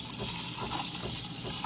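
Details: Breville Barista Touch steam wand stretching milk in a jug: soft, even hiss like tearing paper with no strangled squeal, indicating correct steaming.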